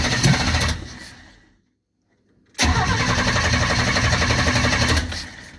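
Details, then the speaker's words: Engine with a newly installed aftermarket Monojet carburetor, exhaust off: it catches, dies, refires and runs roughly before dying away, struggling to start and keep running. Owner suspects the choke needs adjusting. "yeah. Choke needs to be adjusted, I think."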